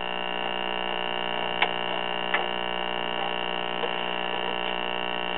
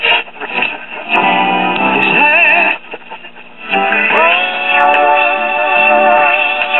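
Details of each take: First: Late-1950s/1960 Arvin twin-speaker AM tube radio, just warmed up: a steady low buzzing hum with faint crackles and no reception; likely a bad electrolytic filter capacitor, which is being replaced. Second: 1960 Arvin twin-speaker AM tube radio after IF transformer alignment at 455 kHz: music comes through clean and steady with muffled AM top end, no hum, crackle or fading; normal reception.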